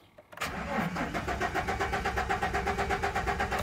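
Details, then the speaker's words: Chevrolet Silverado (GM truck) cranking at about four even pulses a second but never firing, even with power applied: no spark, no injector pulse, CKP sensor, coil and ignition module already replaced, check-engine light on; cause not yet found. "quiero que vean que no aunque yo le mandé corriente no prende"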